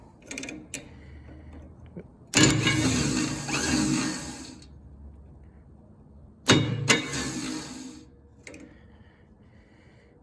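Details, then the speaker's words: Miller Bobcat 225G welder generator, unused for years, spark plug removed: two short bursts of starter whirring and clatter, starter engages but does not spin the engine; solenoid suspected not making contact. "it's engaging but it's not spinning it which is interesting"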